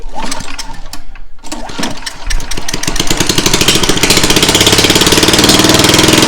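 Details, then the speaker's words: Lawnmower after a deck swap, with a new carburetor and fuel line, started with the muffler left off: it stumbles, catches, then settles into a harsh, sharp popping bark like a dirt bike. "Alright guys, we found out why this thing was so loud. Well, Mister over here forgot to put on the muffler, so this thing sounded like a full-fledged clap dirt bike."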